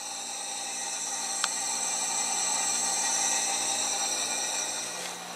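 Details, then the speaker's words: 6.0 Powerstroke with the driver's valve cover off, after fittings were torqued to 155: steady high-pitched hiss of air bypassing the IPR valve, no high-pressure oil leak, otherwise quiet. "can hear the hissing um of the air passing by the IPR valve and so I'm pretty happy"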